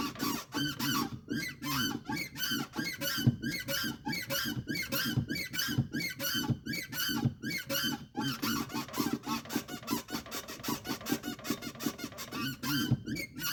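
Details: Volkswagen Polo TSI 1.2, in a quiet cabin: repeated rubbery chirps, one with each press of the clutch pedal. The squeak persists after lubricating the pedal and engine-bay clutch parts; cause still unknown.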